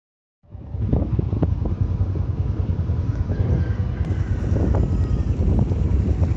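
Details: Motorcycle drum brake after cleaning noise caused by rain, springs lubricated and axle greased: low, steady rolling rumble with some wind and no squeal or scraping as the wheel turns; the drum brake now runs quiet.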